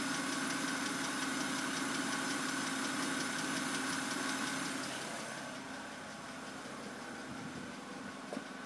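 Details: 2008 BMW 328i coupe idle: fast even light ticking about three per second; owner suspected lifters, dealer replaced them per service bulletin but tick returned; dealer now blames cylinder head, unconfirmed.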